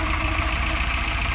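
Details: Tata Nano twin-cylinder after its timing belt was refitted and the timing adjusted, fixing a no-start: it starts and settles into a steady, even idle with a smooth low thrum and no knocks, ticks or misses. It runs healthy.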